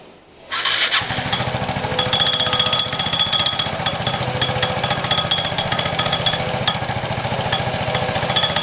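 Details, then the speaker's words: Piaggio Fly scooter started briefly with the clutch cover off: busy metallic chatter and rattle over a fast, uneven idle; the rattle is most likely in the CVT clutch, which is to be swapped for another. "your rattle is most likely in here"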